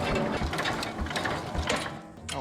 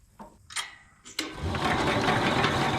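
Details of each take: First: 1968 Jacobsen Super Chief 1000 single-cylinder tractor, first crank on battery; rhythmic chugging about twice a second with gear chatter as the starter turns the engine over strongly and evenly; normal cranking. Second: 1968 Jacobsen Super Chief 1000 cranking after its points were cleaned and gapped at 0.020 in; two steady four-second whirring cranks, spinning freely but never firing; no spark at the points or plug, coil being tested.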